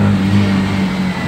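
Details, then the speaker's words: 2015 Daihatsu Xenia 1.0 petrol, formerly sluggish with no power in second gear, after Blackcore engine cleaning/tuning: engine note climbs cleanly and strongly under full throttle in second gear, no stumbling or strain; normal acceleration. "panjang bener bener Perkasa lagi xenianya gasnya ngisi sobat"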